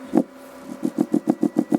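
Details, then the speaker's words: Alpine Type S 10 D2 subwoofer, repaired, in a fully sealed box with no holes, driven by an NVX XAD11 amp: a low tone in fast bursts with a dull pop about seven a second. It pops on certain tones at any volume; owner suspects the sub is damaged. "See, it still has that little pop. And it's sealed completely down in the box there."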